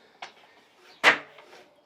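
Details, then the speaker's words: Tubeless tyre being inflated on an asymmetric rim with an insert: a few small creaks, then one sharp loud pop as the last bead section, often opposite the valve, snaps onto the shelf; bead properly seated. "keep an eye on that bead to make sure it's popped on all the way around you should hear that satisfying popping sound as it does"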